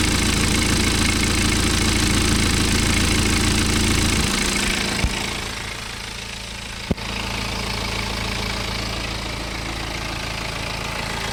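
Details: BMW N47 20d 177 PS diesel, May 2020, about 30,000 km after a January 2019 timing chain replacement, same phone as before: steady idle clatter, then a revving blip that drops back smoothly; no chain rattle or scraping; chain drive healthy.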